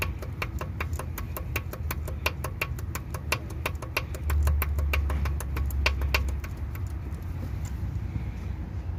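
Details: Hyundai/Kia i20 G4FA/G4FC engine at idle: sharp metallic ticking about three and a half per second over quiet idle from dropped valve guide in cylinder 3; metal fragments found in chamber.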